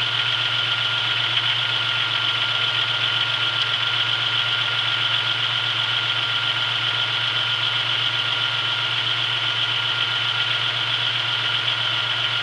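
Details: 1996 Chevrolet Beretta with 3100 V6, cold start after sitting 2 days, days after a main seal replacement with new harmonic balancer and serpentine belt: steady cold idle with faint, loosely regular tapping, two or three a second. Light knock, less than before.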